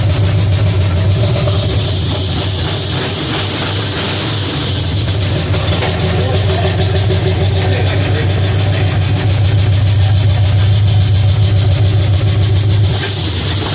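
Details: Pontiac 350 V8 in a '50 Pontiac gasser after changing plugs and adjusting the idle screw, makeshift coil wire: deep, steady idle with an even lope and faint light chatter; normal idle, runs smoothly.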